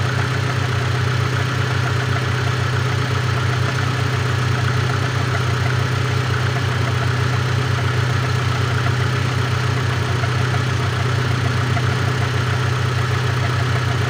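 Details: Great Wall car, cold engine idling: steady low drone with a faint regular knock about three per second riding on it; engine knock when cold, source not pinned down.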